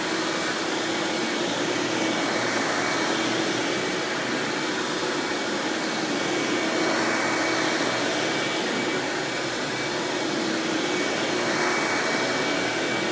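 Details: 1997 Hoover Dirt Finder Power Drive U6331-930 self-propelled upright vacuum running in floor mode: steady, even motor roar with faint high whine, no pulsing or rubbing; exceptionally smooth and surprisingly quiet for an Elite, normal running.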